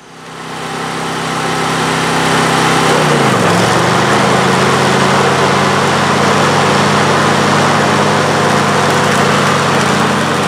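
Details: John Deere LA135 42-inch mower deck after a rebuild kit with new blades, belt, pulleys and spindles: engine picks up, dips briefly as the deck engages, then settles into a smooth even drone.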